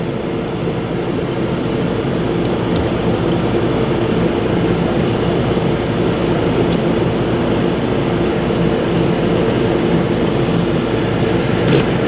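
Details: Beverage Air UR30GE commercial refrigerator after start-capacitor replacement, charging with R134a through a tap valve: steady low compressor hum with even drone, no knocks or rattles; compressor running normally, interior reaching 35 degrees.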